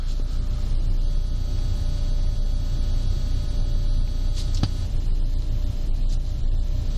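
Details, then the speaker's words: Honda Accord 7th generation, 300,000 km, idling: a steady, thin electrical buzz from the amplifier, independent of volume, because an aftermarket head unit was installed without power isolation from the onboard network, so interference gets in. "Поэтому вот такой вот мерзкий зумер, вот этот звенит, но тебя раздражает."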